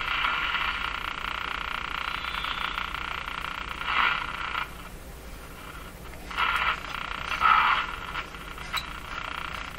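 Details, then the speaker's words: Electrohome Cosmic tube radio after replacing the final three capacitors to cure distortion: croaking warbles come and go every few seconds while tuning across the band, voltage rising abnormally with tuning; set breaking into oscillation, cause unclear. "so the behavior of the of this is not right at all not supposed to do that should be going up and down of course with every signal we come across it's going up as i tune across the band"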